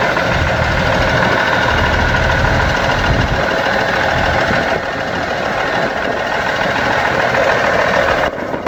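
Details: Seddon Atkinson 311 Cummins-powered classic truck, yard find, first start attempt before full rebuild: loud, even diesel clatter at idle holding a steady rhythm with no misses or knocks; a healthy running engine.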